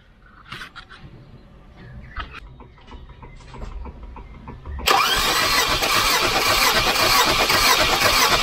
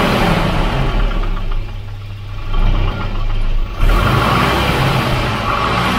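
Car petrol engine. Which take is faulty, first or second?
second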